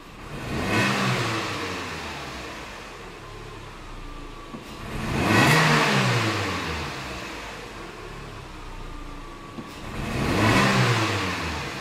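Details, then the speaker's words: Renault Clio, 94,000 km, stumbling on low-rpm acceleration: engine blipped about every five seconds, hesitating and misfiring as revs rise from low rpm. "falhando pra caramba ali em baixa tem um buraco na seleção que tá tam tam tam"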